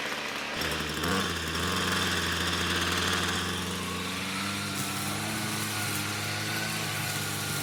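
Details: Ryobi string trimmer small two-stroke, about four years old, after repair with replacement parts: catches and settles into a smooth, steady buzz with no surging or stumbling; runs properly.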